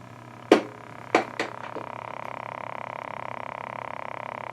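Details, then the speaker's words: Recapped and cleaned tube radio, all tubes lit, volume with no effect, on shortwave/AM band: a few sharp clicks then a steady buzzy tone pulsing about 1.5 per second; noise goes away on tuner setting but no stations received. "i don't know if you can hear that sound i changed i go to the uh to the tuner and it goes away but i do not get any stations at all"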